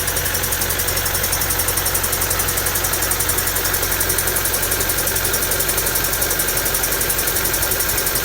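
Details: Honda D16Y7/Y8 "MiniMe" engine at steady idle with rapid, fairly regular deep knocking pulses suggesting bottom-end trouble; owner suspects a spun bearing from too much nitrous, unconfirmed.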